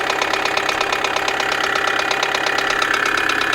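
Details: 2008 Kia Sedona 2.9 CRDi diesel (J3) idling with a sharp, regular heavy knock; camshaft sensor tested good and about to be disconnected with engine running, code P0016, cause not found.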